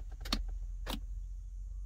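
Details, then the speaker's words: 2006 Pontiac Solstice no-start, only key, clutch in, theft deterrent light on solid: sharp relay clicks under the dash with key turned, gauges sweep, no radio, no cranking; theft deterrent system blocking the start. "I try, and then the gauges go up and down, but nothing. No radio. You come down here. When I do it, you can actually hear it clicking."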